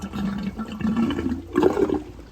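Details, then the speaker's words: Hayward pool pump, switched off and housing lid opened to clean the basket: irregular watery gurgles and bubbling in uneven bursts, no motor note; air coming through and water draining, which is normal. "Okay, and don't be alarmed at that noise that it's making. It is going to make that noise."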